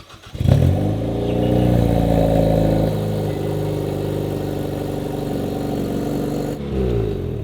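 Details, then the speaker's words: Hyundai Veloster N on jack stands, first start after fitting a catless downpipe: cold start flaring then settling to a raspy idle, with an exhaust leak at the turbo downpipe where mounting bolts are stripped. "And then when I start it, you can hear the exhaust leak."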